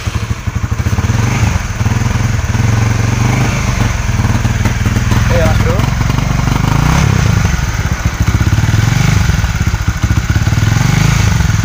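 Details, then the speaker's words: Honda CB150R, no MIL code, stutters and hesitates on light throttle at low and high rpm instead of pulling evenly; fuel pump pressure being checked. "di sini kita Gas pelan saja sudah terasa grebesnya mas bro ini kita langsung saja kita cek kita untuk pertama kita cek dulu untuk tekanan pulpamnya dulu ya mas bro"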